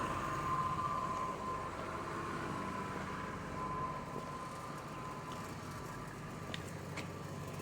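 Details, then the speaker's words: 25-year-old truck on its original engine, 250,000 miles, sat outside ten years, A/C oddly running: low, even rumble with no knocks, ticks or rattles, smooth throughout; healthy running. "there 250 000 miles and it still sounds perfectly fine"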